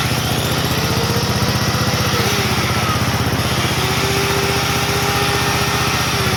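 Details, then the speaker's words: Old Onan generator, last run around 1983–84, revived: steady even thump holding pace while powering two loads at once, no stumbling; runs fine but uses fuel quickly. "I'll say that it's not going to run very long off that tank this thing is thirsty but she works good"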